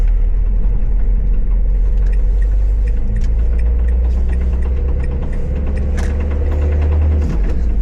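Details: Renault Trafic diesel camper after driving on snowy roads: heavy idle rumble with loud uneven knock from the belt and alternator end; damaged drive belt, replaced with spare.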